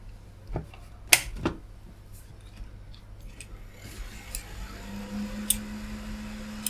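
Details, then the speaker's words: Retro PC with 40GB IDE drive set to master, repaired IDE connector: sharp irregular clicks from the PC speaker, not the drive, over fan hum as it fails to boot; suspected intermittent bad motherboard connection. "I can hear the hard drive making clunking noises. And we're back to this problem again. That's not the hard drive, that's actually the little speaker."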